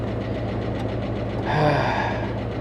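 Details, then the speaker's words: Car at Copart, 63,460 miles: steady idle with fast light tapping on top, top-end tick of unknown cause; hoped to be from sitting parked but may not clear up. "the engine sounds well she's got a healthy tick going on I'm hoping that maybe it's been parked for a while and that's going to clear up I'm not sure that's going to clear up"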